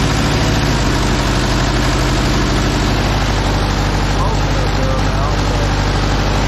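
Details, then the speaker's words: Case 188D diesel engine in a Case backhoe tractor, after a year-long rebuild, injector pump refitted: even, deep idle with a steady beat and no misses or knocks; normal idle. "other than that I'm pleased this punch sounds really good running good"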